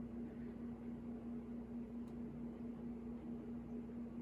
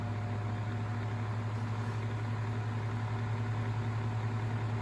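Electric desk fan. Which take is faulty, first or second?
first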